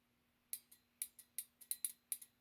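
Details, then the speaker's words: Mid-1930s trumpet car horn relay from a Model A, bench-tested on a 6-volt battery: crisp sharp clicks, about a dozen in two and a half seconds, as power switches; relay opens and closes normally. "there you go okay there's the relay so good news the relay is working"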